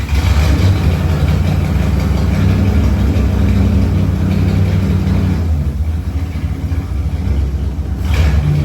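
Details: Tribute Camaro after a new fuel tank, fuel pump and sending unit were fitted, first time running on its own: deep, steady, even rumble with no knocks or misses. Normal idle.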